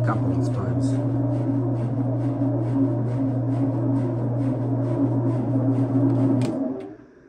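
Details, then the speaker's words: Miele W623 washer just after door gasket (bellow 7887943) replacement, fast spin cycle: steady spin hum with soft rubbing swish about every quarter second as drum lip rubs the new gasket; normal, wears in after a few spins. "so you want to run this until you get rid of the noise and I'll show you something here when you run that um a Spen Sole for couple of times you're going to see some rubber debris here"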